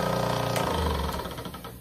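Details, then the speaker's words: Old 1980 Paasche airbrush compressor, long used, overheats quickly: loud, fast rattling knock, harsh and hammering over a droning hum; worn and noisy, cause unknown. "The noise, listen to this old one. I've had to put up with this for a long time."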